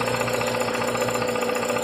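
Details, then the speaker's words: VW Gol with CHT engine, valves already adjusted: fast, even sharp light ticking about eight per second over the running engine, filmed at the clutch shaft support; play there, likely a worn support bushing, not valves. "o barulho é aqui ó nesse suporte da da embreagem tá vendo ó ó a gente acha que tá com batendo válvula o barulho é aqui"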